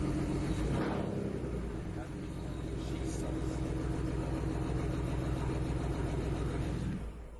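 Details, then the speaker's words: BMW 335i after installing Precision RaceWorks ignition coils and flashing tune: startup into a lumpy idle with uneven pulse, misfire from cylinder 1 and 2 coil connections swapped, which were then corrected. "So I had cylinder 1 and 2 switched, so we switched them. Now there shouldn't be a misfire."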